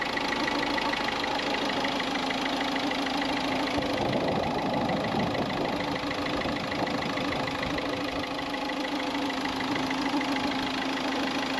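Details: Peugeot at idle after replacing the part that kept its cooling fans running continuously: steady, even idle with a smooth engine hum and no fan roar behind it; the engine is running normally.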